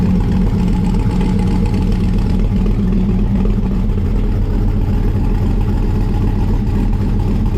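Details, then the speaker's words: 1955 Chevrolet Bel Air with an LM7 5.3 V8 and a Comp Thumpr cam, not yet tuned: right after a cold start, a steady deep idle with a mild even cam lope and no knocks or misses. "I put a comp thumper cam in it, so you'll hear that in a second. Fire up, so it actually has a nice little lope to it, but nothing crazy, just enough to kind of give it that classic car, you know, sound."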